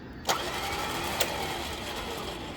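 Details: Newly installed winch on a Jeep JK, first run from the supplied remote after wiring: a couple of sharp relay clicks, then a steady mid-pitched motor whine that holds even; winch motor runs normally.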